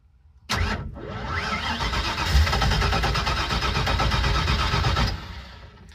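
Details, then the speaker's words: Car back on the road after 27 years, after throttle bracket work and choke adjustment, fuel and spark confirmed: starter churns steadily at about four beats a second for four seconds and never catches; engine flooded. "I am not sure what is happening. I have adjusted the choke. Uh, we made sure we have fuel and spark. I've never had this much trouble starting this car before."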